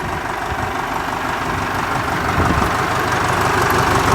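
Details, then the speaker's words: Ford 4040 industrial diesel tractor, cold start after rebuilt injectors installed, valves lashed cold: even clatter about four beats a second, firming slightly as it settles, little smoke; clean healthy cold idle, no misses. "now i've ran it some so we'll give it a shot here yeah it sounds pretty good now"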